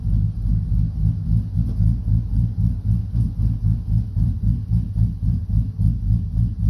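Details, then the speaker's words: 2012 Silverado V8 with bigger cam and Circle D converter, idle raised after it idled too low, AC off: deep, lumpy idle pulsing about four times a second with an even, steady lope; normal idle. "now it's just steady with that potato potato potato potato potato got that got that thump thump to her"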